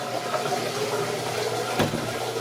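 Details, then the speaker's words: Basement sump pit monitored by an ESP32 and JSN-SR04T ultrasonic level sensor while the washing machine apparently drains into it: steady rushing and splashing water with one short surge. Normal washer drain flow. "okay the game is a foot that noise is uh I think the washing machine running water out pushing water out"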